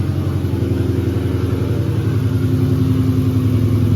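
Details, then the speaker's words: Car engine idling with low, even exhaust pulsing and no knocking or clatter; bottom end sounds quiet, so quiet the motor seems off. Owner fears a blown motor and wonders about axles or clicking; cause unconfirmed. "It ain't no knocking, so the motherfucker not knocking."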